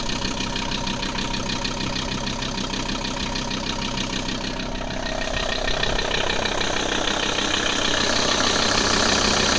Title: Strange noise audi a6 c4 2.5 tdi ael part 2